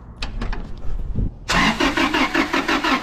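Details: 2000 Toyota 4Runner, 363,000 miles: a few clicks, then the starter cranks steadily at about three turns a second with no catch; crank-no-start diagnosed as a failed fuel pump supplying no fuel.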